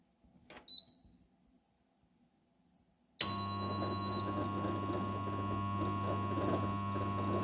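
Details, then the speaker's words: Tumble dryer with cover removed, drum won't turn: a short beep then a steady low electrical hum with no spin-up; motor energized but stalled and lacking power even when nudged, suspected faulty start capacitor. "So, wir merken, es tut sich nichts. Der Motor versucht zu drehen, schafft es aber nicht."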